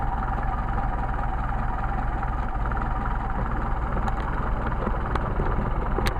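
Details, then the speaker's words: Engine with rebuilt matched 190SL Solex carburetors after idle speed and mixture screw adjustment; even, steady idle with a smooth low rumble and no misses, hunting or knocks, a healthy, properly adjusted idle. "but right now that engine has been adjusted properly"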